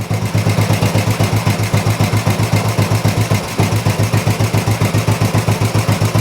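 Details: Old Royal Enfield 350 single after long storage and carb work, not yet fully warmed up: even thump about four beats a second, steady with no misses; sounds really sweet, normal healthy idle, not much wrong.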